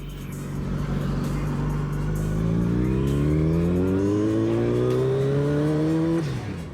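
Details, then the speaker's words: Turbocharged Yamaha FZ1 motorcycle cruising at about 4% throttle, O2 sensor disconnected: engine pulls smoothly then stumbles and breaks up with surge and power loss; misfire suspected from two-year-old spark plugs. "yeah it does not like cruising you can hear it breaking up right now"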